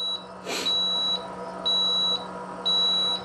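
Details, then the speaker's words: RV automatic leveling system running auto level: steady high beep about once a second with jacks working outside; normal auto-leveling beeps, process takes a while. "And then you say auto level. And it's gonna make beepy noises and some strange noises throughout the"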